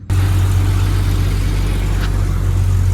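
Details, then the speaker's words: 1998 Jeep Cherokee 4.0 six after replacing upstream and downstream O2 sensors: steady low rumble, smooth even idle with no misses or ticks, idling a little easier, no check engine light. "All right, so running good. No check engine light for now, so should be good. Sounds like it's idling a little bit easier too."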